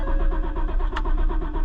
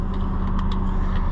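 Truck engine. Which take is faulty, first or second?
first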